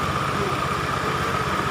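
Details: Matic scooter whose starter would not engage, only clicking, fixed by cutting the yellow/red-green starter wire and joining it to an external relay instead of the CDI relay; after repair it starts on the button and idles steadily, evenly, with no misses or knocks.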